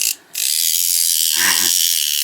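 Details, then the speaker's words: Restored plastic Minic clockwork Morris Minor toy car with bent base, wound-up spring motor running: loud, rapid, high-pitched ratcheting chatter; noisy gears, cause unknown, but it now runs where before it wouldn't wind up. "We can wind it up, but will it run? That's the question, isn't it? If you couldn't do this before, it wouldn't wind up at all. It makes a bit of a weird noise."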